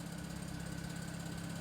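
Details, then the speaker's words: 2009 BMW 335i N54, running with heat on after upper radiator hose replacement: low idle with a slightly uneven, lumpy beat and faint light tick; misfire, unrelated to the hose, owner suspects a ticking ignition coil. "it's now misfiring, completely unrelated issue."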